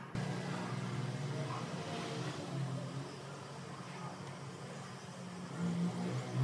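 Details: Mercedes C200 after ECU repair for cold-engine misfire that new spark plugs and coils didn't cure: quiet, steady low idle hum with no stumbles, misses or shake; runs smooth and even.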